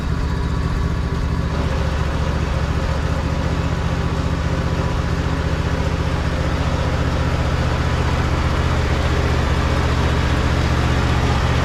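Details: Husqvarna riding mower found with dry dipstick and oil leaks, topped off, driven with clutch in and out: loud rough engine with heavy low drone and clattering rhythm. Loud abnormal drive noise.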